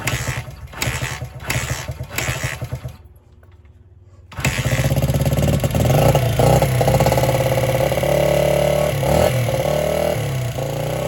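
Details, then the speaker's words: 1978 Honda XR75 single, first run since about 1989 after restoration; catches after stumbling tries, then runs uneven and hunting; would not idle or drive well, low on power; timing and compression checked; cause was carburetor needle clip in wrong position. "so the reason it took a few weeks is that I had a runability issue it just would not idle or or drive well it was low on power"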